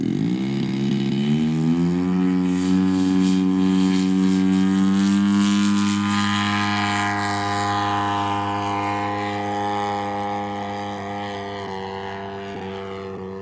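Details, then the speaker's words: Engine of a giant RC plane in cooler air, after running too lean and having the low-end needle opened: a steady drone that sags and burbles unevenly, running rich with engine burble rather than a miss; the high end is possibly open too much. "she's rich now. But that's an engine barble, that's not a miss."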